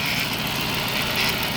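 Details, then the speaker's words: 2007 Chrysler 300C 5.7 Hemi V8, sat 6–7 years; after fuel pump and injector cleaning, checked for fuel leaks: steady, even V8 hum at idle, no misfire; running smooth on all cylinders, normal idle. "But, she's purring, man."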